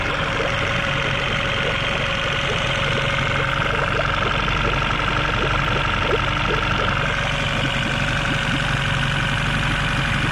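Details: Yamaha 9.9 four-stroke long-shaft outboard after a head gasket replacement and clearing of salt blockage: steady even beat with no knocks, misses or hunting; running smoothly.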